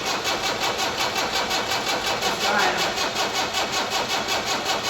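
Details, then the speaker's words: Diesel inline-four, just started after priming: even diesel clatter at a steady idle of about two to three beats a second, no misses; the engine runs cleanly. "It just fired. That's a good sounding diesel, too."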